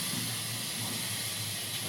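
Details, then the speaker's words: Direct Lift pneumatic motorcycle lift table after cylinder seal rebuild: smooth steady hiss of air feeding the cylinder as the table rises, no leak noise; working normally again. "yeah that's pretty much normal now that's the way it was when I first got"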